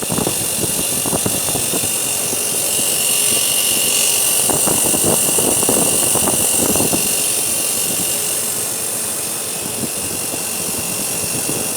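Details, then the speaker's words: Wellkart display freezer with an Embraco NEK2172 compressor on R404a, about 30°C ambient: rough, uneven grinding bursts over a steady hum and high hiss, like pistons scraping sleeves; suction pipe warmer than discharge, compressor failed internally and was replaced. "again let's listen to the noise from a compressor is Bryden noise the noise like a piston League riding you know"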